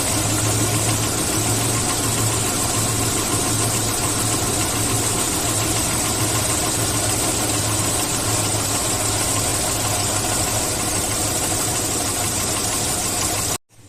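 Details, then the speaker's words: Engine that smokes blue from the exhaust, running: fast, light knocking ticks steadily over a rough idle; on teardown, worn pistons rock in the cylinders, causing piston slap, so the engine needs repair. "a ya está demasiado el desgaste y por eso Por esa razón eh tenía un pequeño ruido no en el motor no sé si han podido evidenciar en el momento de funcionamiento un pequeño golpeteo y eso ocasionaba estos pistones"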